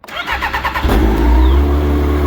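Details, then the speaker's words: Yamaha Apex four-stroke snowmobile just after a motor swap: brief cranking, then it fires instantly and settles into an even, steady idle with no knocks or misses. No leaks; normal start and idle. "the fact that that thing fired up instantly runs nice sounds nice no leaks is a huge relief"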